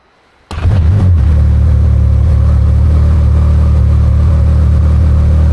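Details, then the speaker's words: Can-Am Maverick R with Evolution Powersports flex-fuel system, cold start on tested 85% E85: fires at once, settles into steady, deep, even idle without misses or stumbling; normal healthy cold start. "So, what I'm going to do is I'm going to do a cold start for you on E85. It's always cool cuz it works out great."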